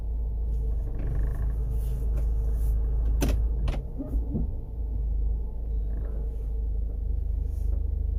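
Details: Honda CR-V first generation, in the cabin: low steady droning hum under the engine with a couple of brief knocks; incorrect distributor timing suspected, not confirmed.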